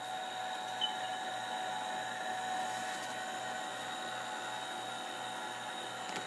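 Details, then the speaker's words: TRS-80 Model II floppy disk drive after cleaning, at power-on with a boot error: a steady, even motor hum with a faint regular pulse and no scraping. The motor runs all the time off AC power and is running smoothly. "Yeah, that motor turns all the time. Because it's running off AC power."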